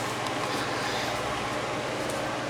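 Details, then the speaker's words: Dr Infrared DR988 5600W portable heater, two years old, after replacing the rear motor piece holding the fan armature: smooth steady air rush with no more loud metal-to-metal screeching; the fan motor runs normally. "This is how it sounds now. It sounds like it should now. It's not making that loud metal to metal screeching sound."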